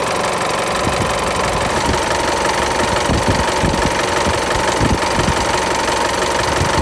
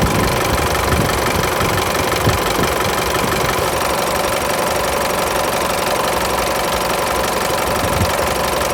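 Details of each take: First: Isuzu Mu-X diesel after the A/C belt was re-tensioned to stop belt flutter and A/C compressor clutch noise: usual idle clatter but no slap, flutter or squeal, belt runs steady and quiet, only slight movement when the compressor engages; normal accessory belt running. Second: Isuzu Mu-X diesel idling, AC compressor off: slack AC belt flaps and vibrates heavily, uneven knock about three times a second; owner unsure if belt or compressor clutch noise; loose belt slap.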